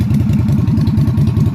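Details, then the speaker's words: Yamaha Virago XV250 (Route 66 edition) V-twin on a newly fitted replacement carburetor, no choke cable installed, being revved: lumpy but steady beat at a fast idle with even pulses and no misses; runs fine, though the carb still needs much adjustment. "no need to get a choke cable it's running without one oh that's no good well rev it up Zoe Harley do it still going to have to mess with a carburetor a lot but it's running I can't believe it"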